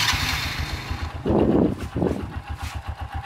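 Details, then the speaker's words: Supra Fit motorcycle, early 'legend' engine, just after start: steady rough knocking pulse under the idle at several beats a second; the mechanic diagnoses a damaged connecting rod that needs replacing before debris damages other parts. "Nah ini, bila Anda menemui motor seperti ini dipastikan stangnya kena."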